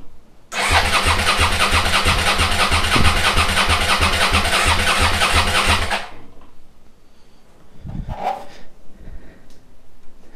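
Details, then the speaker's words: SV motorcycle under restoration, first start after carbs rebuilt and refitted, TPS set, regulator replaced, old fuel drained for fresh: the starter churns steadily, about three turns a second for over five seconds, without firing while the empty float bowls refill. "va déjà falloir un petit peu de temps pour que les carbus se remplissent he les cuves étaient vides"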